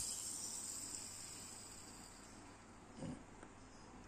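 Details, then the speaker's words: Yamaha Aerox engine with ticking noise, right camshaft bearing spun by hand: dry hissing rasp fading as it slows, then a short knock; worn, rough bearing, to be replaced. "Karena emang udah jelek ya si ee bearing-nya ini. Jadi emang udah selayaknya kita ganti."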